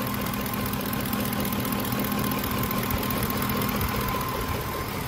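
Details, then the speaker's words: 2007 Ford F-150 5.4L 3-valve V8 at idle, misfiring on cylinders 2 and 4: a slightly uneven, loping pulse with no hissing; no vacuum leak, confirmed by a smoke test of the intake. "nothing no hissing at all no problems at all no vacuum leaks just by listening to it"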